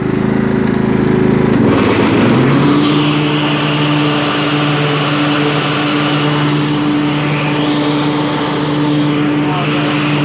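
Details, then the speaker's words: 1998 Craftsman DLT lawn tractor, 16.5hp Kohler Command OHV, freshly tuned with new fuel pump and rebuilt carburetor, full throttle: steady high drone that dips briefly as the 46" blades engage, then recovers smoothly. "oh so as you can hear it has plenty of power runs smooth"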